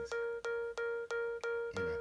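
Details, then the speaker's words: iPad on charge at 82%: short, even, single-pitch alarm-like beeps about three per second repeating nonstop. They stop when the cable is unplugged; owner suspects a poorly seated charger connection, cause unclear. "and it keeps making this sound, which is scary. You know, I don't know. It's like an alarm sound."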